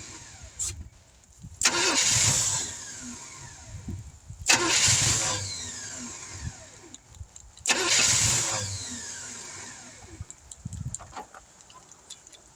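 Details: 1971 Chevrolet C10 after sitting for decades, outdoor start, timing being advanced, no fuel pump: three tries, each catching with a rough roar for about a second before dying. Owner suspects an inadequate fuel source, possibly spark plugs.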